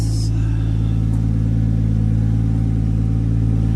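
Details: Jeep Cherokee XJ 4.0-litre turbo conversion, start with oil pressure, volts and fuel confirmed: catches right away and settles into a steady, even low hum with no misses or knocks; healthy idle.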